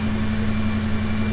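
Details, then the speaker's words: $900 Mercury Grand Marquis, formerly a no-start, just started for the first time: short, steady, low idle with an even hum and no knocks or misses. It is running normally. "and it started up so"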